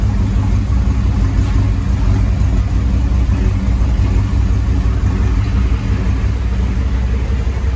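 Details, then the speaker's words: Land Rover Defender 90 with swapped Chevrolet 6.2 L LS V8, Dynomax Super Turbo muffler, oil topped off and air cleaner fitted, nearly warm (192°F): deep, mellow exhaust rumble, no knocks, misfires or hunting; smooth normal idle. "you guys listen to the exhaust really nice mellow Rumble really idling nice starting to really come together and sound smooth"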